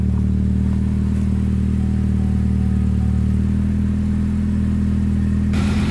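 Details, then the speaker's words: 2007 Chevrolet HHR, 2.2 Ecotec, 5-speed manual, after replacing the failed radiator cooling fan (no AC airflow at idle): steady low engine hum, then a smooth rushing whoosh as the new fan switches on; normal. "start the engine with crap on top of the engine cover you can kind of see or hear that the fan is finally running"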